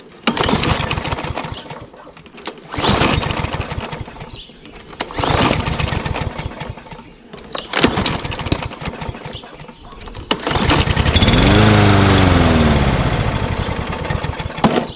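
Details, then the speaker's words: Mower won't start on the first several pulls. Each pull catches a few uneven firing beats that die away, one briefly rising before fading. Owner suspects a sticky carburetor float or debris in the bowl. "well henry you said such a good lawnmower the one that i like the most doesn't start on the first pull for the second or the third or the fourth son of a"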